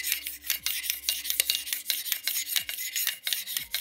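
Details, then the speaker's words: Modify Steyr Scout ELITE spring airsoft sniper, cylinder pushed into receiver: harsh dry metallic rasp each push, steel rubbing directly on aluminium bore, not riding on guide rings, which match receiver diameter. "Also hier, wie gesagt, hier reibt der gesamte Stahl im inneren Bereich übers Alu drüber und eben nicht nur über die Gleitringe."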